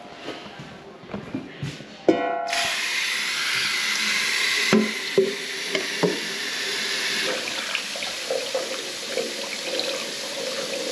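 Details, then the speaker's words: Urinal draining freely after cable was fed up around the trap to clear a blockage: steady rushing water, no gurgling or backing up, a few handling knocks; no leaks, running nicely. "right so there we go no leaks or running nicely"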